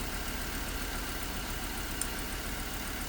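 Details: Hummer H3 at idle with P0300 random misfire code: steady idle with slightly uneven, lumpy beat and no clear pattern; rough-running misfire at idle.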